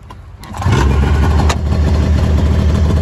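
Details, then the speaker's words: Snowmobile with a loose clutch bolt and bent ski, started up: catches within half a second and settles into a steady, even low rumble with no misses or knocks; normal start and idle. "Idle's really good. Headlight works."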